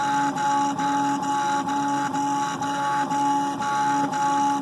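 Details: Fully upgraded 3030 Haribo 3D printer with Drylin bearings, Noctua fan, rubber feet and TPU stepper motor dampeners, printing PLA, microphone close: steady stepper hum with soft even pulses about twice a second, no skips or grinding; normal printing.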